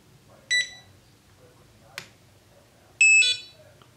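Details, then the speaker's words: ImmersionRC Vortex 250 Pro quad with an FrSky X4R-SB SBUS receiver, powered after holding reset: two sharp high beeps about two and a half seconds apart warning that no receiver is detected or bound; it binds after a power cycle. "okay so detecting RX right now so it's detecting the receiver ensure that TX is on and receiver is bound so right now the receiver is not bound"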